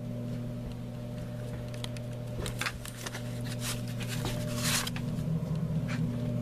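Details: Blower fan in a vented litter box, wired with a speed control: steady even whir with low constant hum and no buzzing at full speed; the motor hums if turned too slow, otherwise running normally.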